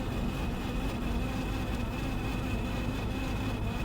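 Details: 1951 Chevy with a 292 six and Turbo 350, cruising on the road: a thin steady whine over road and engine rumble from the speedometer. Owner suspects a dry speedometer cable and plans to lubricate it.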